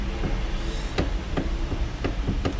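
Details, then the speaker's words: Hyundai Veloster electric power steering, known Hyundai/Kia fault: dull clunks roughly every third of a second while steering at quiet idle, like something breaking in the steering column — worn steering-column coupler noise. "eu vou ligar o carro aqui para vocês ouvirem eu vou ver se dá para captar aí no vídeo barulho e aí tô comendo ao esterçar parece que tem alguma coisa quebrando aqui na direção do carro"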